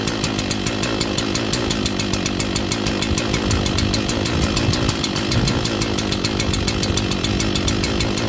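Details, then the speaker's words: Echo CS-4910 chainsaw cold-started at about 2° with -10 wind chill in snow, choke taken off after it fired, a few more pulls: steady two-stroke idle with a slightly uneven, loping beat while warming up; lopey idle when cold. "Took a few more pulls. I probably could have maybe started up with 1 or 2 left few pulls, but she is starting up though. Warming up. Lopey."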